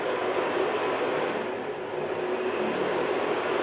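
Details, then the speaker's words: Carver Fanmaster caravan heater 12 V fan after cleaning and greasing its end bearings: steady even airflow rush stepping through about four speeds, no scraping or bearing noise, quieter than before; normal operation. "It seems to be about 4 variations of speed. When it kicks in, you go doo doo doo."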